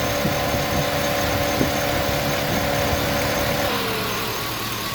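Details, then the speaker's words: 5.3L LS-swapped S10 with a 300M/Intrepid electric fan, warm idle, hood closed, about 85°F outside: steady driver-side fan hum spins down as coolant reaches 185°F; normal shutoff. "there it is, shutting off. So one cooling fan, the driver's side fan on the M300M will cool the engine down just idling."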